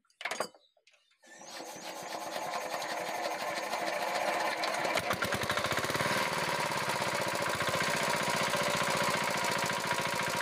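Engine picks up and holds a steady run with a sharp, fast rattling tick riding over it; clearly abnormal, cause not identifiable by ear.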